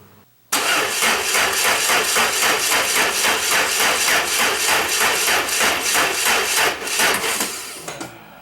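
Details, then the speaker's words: 1994 Saab 9000 with no-start and idle problems, new injector parts, secondary air valve leak plugged: steady cranking about three and a half pulses a second that sags and fades; weak battery only lasts about a minute and a half of cranking. "time for a new battery this one i get maybe a minute and a half of cranking before it goes dead now for a new battery"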